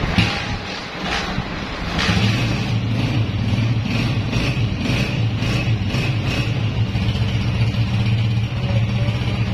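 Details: 2011 Honda CG 125 single-cylinder bike after repair for heavy smoke and engine noises, with a new piston fitted, before break-in: even steady low hum with no knocking or rattle; silencer smoke has stopped.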